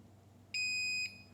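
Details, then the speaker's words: Generac GP7500e generator that produces no power: the multimeter gives a steady half-second continuity beep from terminal to brush end, and the springs are fine, so the brush and its lead are intact. "When we get a circuit, we should hear that tone. So, put one lead here, the other lead on the end of the brush. So, we know that brush is good."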